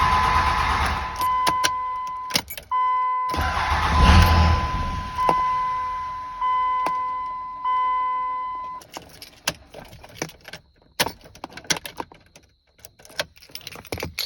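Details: 2003 5.9 Cummins with the FPC disconnected: several cranking bursts, starter spinning steadily with a dash chime, but it never fires; still no start.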